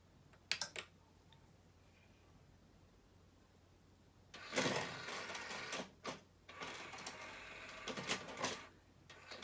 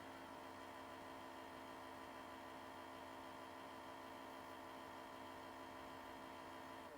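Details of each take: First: 2001 Sony CMT-CP300 three-CD changer just after a loading belt replacement: soft clicks, short motor whirs and rattles as the changer searches and reports no discs; a normal, smooth disc search with nothing grinding or slipping. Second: 2001 Sony CMT-CP300 three-disc CD changer before repair: loading motor whirs steadily but the drawer never opens, the common fault of a stretched loading belt that needs replacing. CD drawer fails to open, stretched loading belt.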